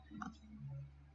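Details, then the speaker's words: Link G4x ECU on a 2AZ jetboat engine, fuel pump relay on digital input three, switched via ECU test: one faint, sharp click over a quiet low hum, slight lag before showing on screen; relay pulling in normally. "i heard the relay click on and there it is switching on so there is a little bit of lag when i switch it on to when i switch it uh where it actually shows up"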